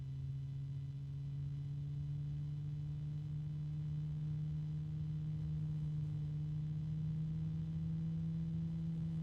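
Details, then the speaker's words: Blue Star case fan at starting speed already a bit noisy: steady very low-pitched tonal hum with a couple of fainter overtones (a little harmonics) at an even pitch. "And it's already a bit noisy. It's a very low-pitched noise, but it's there."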